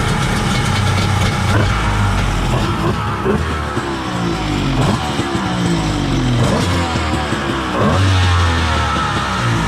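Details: Kawasaki 1100 ZXI jet ski two-stroke after stator and CDI replacement and new taper-bored 38 mm carbs: loud, busy, steady running with throttle blips and no stumbling or misfire; normal running.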